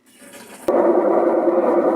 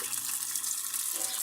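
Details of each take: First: Maytag Atlantis washer in spin: tub turns but gives a loud, steady mid-pitched hum that dies away as it stops; transmission bearing is worn and rusted after water got in. The washer also won't agitate because of a stripped transmission shaft. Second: Maytag Atlantis washer (fault: won't agitate, noisy on spin) on test cycle, warm/cold water: even splashing rush of water filling the tub, no hum or chatter; normal water fill.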